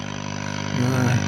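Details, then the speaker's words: Scharnberg Strauss radiogram being restored, slowly powered up to around 200 volts: steady low hum and hiss, audio stage works and RF seems present but no stations tuned; oscillator suspected not running, unconfirmed. "Sounds like we've got RF, but uh but we've got no stations. We may not have an oscillator running."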